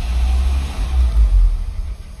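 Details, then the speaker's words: Audi engine, 171,000 km, after removing an injector: low, even rumble at a steady idle with no stumbles or misses and no fault codes; the injector was confirmed as the cause. "во Неужели холостой есть ход как я рад как я рад вы себе не представляете как я рад кодов нет"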